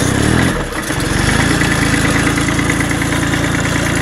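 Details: Bolens Iseki H1502 diesel tractor, snowy cold start before warm-up: catches quickly and settles into a steady, even idle clatter with no misses or knocks; healthy cold-start idle.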